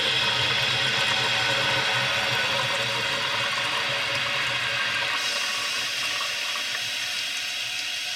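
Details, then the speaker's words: Toilet tank refill after adjusting the fill valve so water stops about 1.5 inches below the overflow top: steady hiss of refilling, easing off as the valve closes cleanly with no seeping; normal refill and shutoff. "If it comes up there, you can hear that the water shut off completely."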